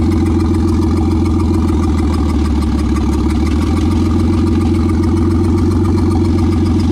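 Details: Nissan Skyline idling briefly during diagnosis before the head comes off: a lumpy, uneven beat with a faint recurring exhaust stumble. A paper held at the tailpipe is sucked in hard, pointing to a leaking, burnt valve.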